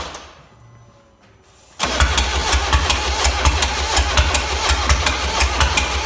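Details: 1.6 HDi diesel: fires after a short crank, then a sharp tick about every second over the idle; mechanic suspects the timing chain, tappets or bent valves, source unknown.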